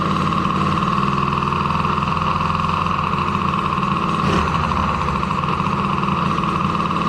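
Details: DRR 90 after water pump rebuild kit fitted for a damaged shaft leaking past the seal, coolant topped off: small engine settles into a smooth, steady idle with even hum, no knocks, rattles or misses; runs healthy.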